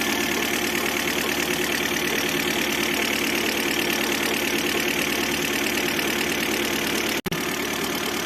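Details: 2006 Citroën C5 1.8 petrol 125 hp at idle: constant whirring hum from under the timing cover; with belt removed the A/C compressor bearing also hums, but the cause was the water pump bearing.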